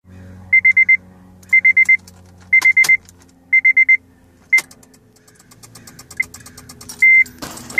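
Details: 2006 Honda Civic LX coupe: dash lights on, quick bursts of four high beeps about once a second, no cranking; battery too weak, replacing battery fixed it (battery and alternator had tested fine).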